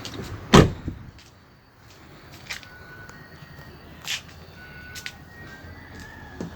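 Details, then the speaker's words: Mitsubishi Pajero door opening after applying Waxpol AP3 multi-purpose grease to the hinges: one sharp unlatch clunk and a quiet swing, the earlier squeak gone. "I'll open the door. You see there is no noise."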